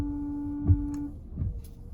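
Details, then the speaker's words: Ford Flex windshield washer, reservoir full: a short electric hum from the washer pump for about a second, then clicks. The pump runs but no fluid sprays. "there's no fluid coming out but you can hear that the pumps working so we're gonna go check that first"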